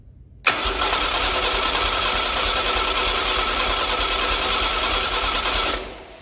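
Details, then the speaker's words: Chevy SS restoration engine, cranked with the coil disconnected before first start: about five seconds of steady starter whir with no firing to build oil pressure; oil light went out, normal. "Oh very good the light went out So that means that the oil system raises pressure I'm going to make it rotate a few more times and then we'll connect the coil"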